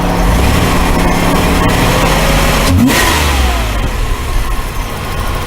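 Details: 1991 Oldsmobile Cutlass Ciera after replacing all fuel injectors with rebuilt Ford/Bosch units: warm engine snaps up cleanly on each blip and settles back to steady idle without hesitation; normal throttle response.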